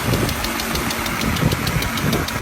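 A quick, even ticking, about seven a second, sits over a running engine: faulty hydraulic lifters.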